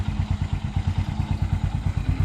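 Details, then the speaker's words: Motorcycle after the clutch housing and pinion gear were replaced: even steady thumping idle at about seven to eight beats a second, no clatter or grinding from the clutch side. It runs smoothly. "Arangkada mo nga bossing. Baba mo, arangkada mo. Maganda na yung andar."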